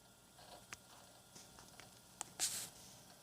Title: Hard Drive weird noise